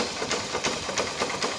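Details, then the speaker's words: Honda Unicorn 150 motorcycle idling in neutral: light metallic rattle ticking rapidly over the single-cylinder idle, changing when the clutch is pressed; clutch basket (clutch bell) rattle from worn rubber dampers. "यहां पर clutch press कर रहा हूं तो यह आवाज हो जाति है गाड़ी की"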